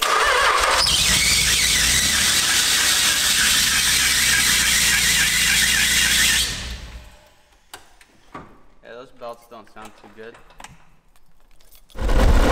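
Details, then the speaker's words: Nissan 300ZX after full refresh (engine resealed, new clutch, lightweight flywheel, fresh oil): loud shrill continuous squeal for about six seconds after start-up, then cuts out after revving twice; drive belts slipping. "it was the belts were squealing like hell and then I revved it twice"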